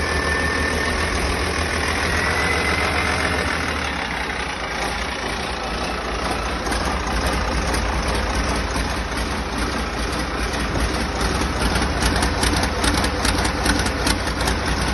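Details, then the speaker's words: Rebuilt diesel engine's first run after 24 V jump start: even clatter settling to steady idle about two and a half beats a second, no bangs or misses; started very easy, no major leaks, one injector pipe leaking. "overall, I have to say I am delighted with that. It's started up very easy. And, uh, no major leaks or bangs."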